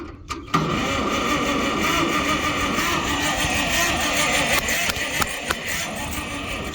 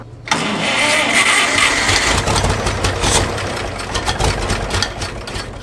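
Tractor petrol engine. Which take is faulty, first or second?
second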